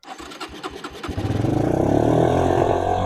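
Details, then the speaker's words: Suzuki LT160 quad, sat 3 years, fresh fuel, choke on, no air filter: sputtering catches, then it fires and holds a fast, steady high idle. Suspected too much air entering the carburetor. "and there you could hear it was running really really high again so that would probably suggest that it's got too much air coming in to the carburetor"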